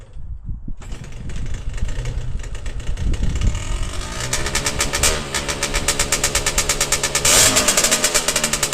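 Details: Yamaha DTR125 two-stroke, first start after storage since about 2017 and power valve cleaning, no coolant fitted; crackles into ragged uneven idle with blips and heavy smoke; owner suspects 2-stroke oil burning off, will check head gasket and crank seal.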